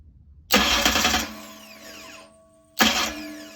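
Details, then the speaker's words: 769 hp 409ci Ford 351 Cleveland on an engine run stand, starter remounted with a spacer after an earlier grinding problem: two short, crisp starter spins that whir down cleanly without grinding; normal cranking, slightly noisy. "Works like a charm. Maybe a little noisy, but oh my God."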